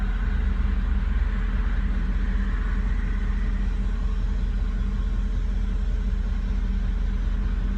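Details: Engine idling high, slightly uneven and boggy, not settling; all sensors changed, no codes, cause not found.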